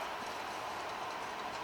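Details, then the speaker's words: 2004 Ford Fusion jacked up and rear wheel spun by hand: steady, gritty rough humming from a worn rear wheel bearing, which sounds as if it comes from the front when driving. "it's really rough and it shouldn't be rough and that's the humming you hear so once you jack up the car if you hear that humming then you know which wheel bearing is gone"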